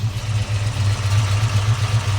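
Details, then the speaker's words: 1968 Ford Mustang Fastback with a 302 V8, stroked, with a cam and 4-speed manual, just fired up: a deep, loping rumble with a slightly uneven cam lope, steady and strong. Normal lumpy cammed idle. "It runs good. I mean, listen to that. Good rumble. It's got a nice cam in it."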